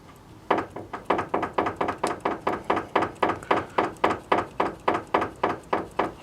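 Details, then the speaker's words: Kia Picanto with a knocking steering: sharp, evenly spaced clunks about three and a half per second as the wheel is rocked. New tie rods won't help; the steering rack has play from worn bushings, and the subframe must be lowered for rack repair. "что же друзья ремонт с рулевыми тягами покажу зашел в тупик при разборке тяг оказалось что люфтит рейка разбиты втулки"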